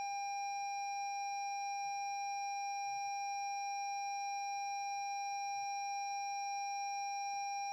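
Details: 2017 Lexus NX 200t after jump cables were connected reversed, new battery fitted, starter won't turn, start button pressed: constant high electronic tone over near silence; dashboard warning tone from electrical faults after reversed jump-start.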